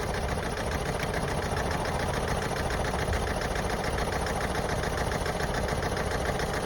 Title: Vauxhall Astra j rough idle lose of power